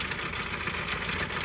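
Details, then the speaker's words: Auction Isuzu 4HE1 four-cylinder fully mechanical diesel (1999–2004 type), test run on stand: loud busy clattering rattle over steady idle, heavy blow-by, sounds blown up; mechanical knock, cause not pinned down. "so in case you're wondering it sounds like it's blown up so I'm not worried about it not having cooling much"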